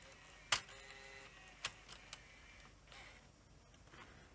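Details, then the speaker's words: Sony HVR-M15AE DVCAM HD recorder with torn back tension band and jamming supply reel: quiet room, sharp irregular ticks about a second apart as it tries to run the lacing motor after an error; won't eject, something suspected broken. "Sounds like something's broken. Hear it ticking, trying to run the lacing motor."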